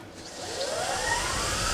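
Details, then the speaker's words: 2018 Permobil F5 power wheelchair drive motors fitted to a 2021 F3, after cleaning, commutator sanding, lubrication and brush break-in, full speed: loud high whine climbing as motor spins up; faster than before but still loud, cause unknown. "Oh, that's faster than it was before."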